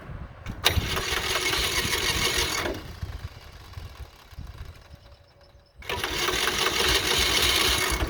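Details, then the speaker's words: John Deere Model R diesel being cranked by its rebuilt pony motor: pony buzzes hard in long bursts, big diesel never fires, little smoke. Owner thought fuel system needed bleeding; found injection rack sticking/gummy. Cranks but won't start. "All right, we're gonna have to bleed the fuel system. We're not getting a lot of smoke, so stay tuned."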